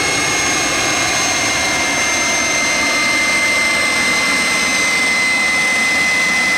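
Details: Jet turbine truck, first start-up after winter, after cleaning a dirt-clogged fuel filter and adjusting the fuel pump: smooth loud roar with steady high whistling tones holding pitch; normal clean turbine run.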